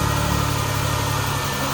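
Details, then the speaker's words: 2011–2016 Chrysler Town & Country after ignition coil replacement, which fixed the cylinder 6 misfire (P0300/P0306), with the scan tool showing no misfires; smooth, steady idle with an even beat and no stumbles or skips, normal idle. "As we can see, we really don't have any misfires anymore. Well, none at all. Maybe just some random ones now, which is normal."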